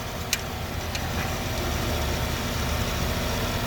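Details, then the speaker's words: 2013 Dodge 5.7 Hemi with passenger valve cover off, ticking after running a while: rough V8 idle with light uneven tick; loose rocker and spinning pushrod, pushrod not bent, likely a dead collapsed lifter. "doesn't seem to be bent it's going to be a dead lifter pretty common on a hemi"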